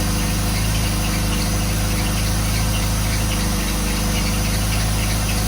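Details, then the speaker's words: 1985 Pontiac Fiero project car during first warm-up after revival, mouse nests blowing out the exhaust; loud, rough running with a thin high squeal and a bad humming, not from the fuel filter or pump; the belt screw needs fixing. "Sounds like it's about to explode. It smells like warm mouse pee. There's a really bad humming noise. I don't know what that is."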